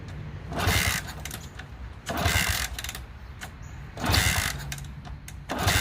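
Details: Honda CT200 (1964–67, iron-head pushrod single), long-sat non-runner, plug cleaned, fresh gas: repeated cranking bursts about every two seconds, almost catching then dying; hard starting. Later it wouldn't stay running and the plug was very wet, so carb teardown planned.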